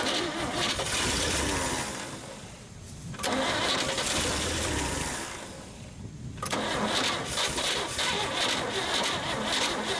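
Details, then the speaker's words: 1962 Chevy Bel Air revival, long unused, battery possibly low: starter cranks steadily, pauses twice, cranks again, engine never catches; owner thinks fuel pump must draw fuel from tank first. Cause suspected, not confirmed. "Try not to crank it too much after the battery seems like it's a little low."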